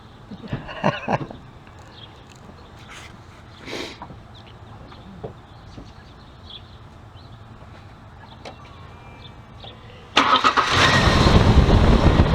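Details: 1999 Ford Explorer after replacing the serpentine belt, tensioner and idler pulley: engine starts and settles into a steady, even run with no belt squeal; belt drive healthy.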